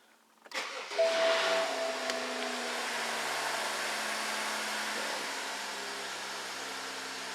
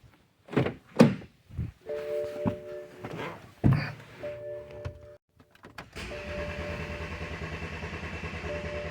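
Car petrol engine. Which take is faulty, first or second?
second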